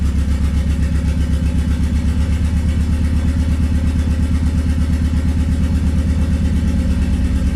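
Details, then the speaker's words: Swapped Honda D15B2 engine in an EG coupe after new spark plugs: lumpy, uneven idle with a stumbling thump about three times a second as a cylinder drops out; misfire from sticking valves in the old head. "i swapped the new head on to it um turns out the old one right here that i had put on some valves were stuck"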